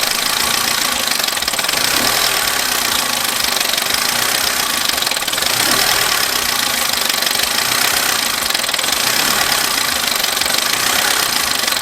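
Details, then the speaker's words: Abandoned Vauxhall Corsa engine idling before any repairs, with dash warning light on: harsh, uneven clatter and knocking over a hissy, rattly idle; running rough. "Next job is a car, but first I'm going to show you what the engine sounded like before I did any of this."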